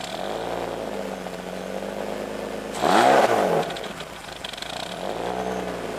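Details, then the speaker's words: 1995 BMW 325i e36, sat unused four years, not fully warmed up: idle hunts and wavers with a short throttle blip, uneven and close to stalling; owner suspects bad idle control valve or intake vacuum leak, or both. "with it running like that and not completely warmed up, you definitely don't want to rev it too much or too hard. But that's what it sounds like, and that's how it's running."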